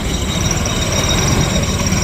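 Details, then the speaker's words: TVS Jupiter scooter idling: loose, uneven chattering rattle over the engine beat. Clutch rattle; on opening, the clutch showed worn rubber dampers, two broken metal pieces and a previously broken nut. "आवाज आ रही है। छुपचुक आवाज आ रही है।"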